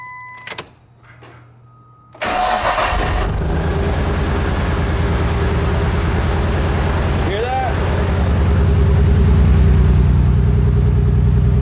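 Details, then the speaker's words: Nissan R34 at idle, spark plug history unknown: after cranking and catching, a lumpy, uneven thump about three times a second. The owner suspected the spark plugs. "that thing sounds like a Subaru which is not bad the only thing is this is not a Subaru at all so we're going to go ahead and fix that today"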